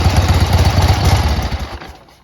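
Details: 1976 Harley-Davidson 1000cc XL-XLH Ironhead Sportster, started by jumping at the starter motor because there is no starter button: steady loping V-twin beat at idle, even and strong with no knock or rattle, then a clean shutoff; motor sounds good.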